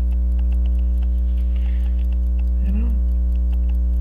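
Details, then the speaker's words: Waltham Appleton Tracy 18-size 15-jewel pocket watch, roller jewel out of position: steady ticking about three per second over a constant hum; runs poorly, suspected off-center hairspring from loose collet. "look at that hairspring it's not even centered I to fix that that's probably why it runs crappy"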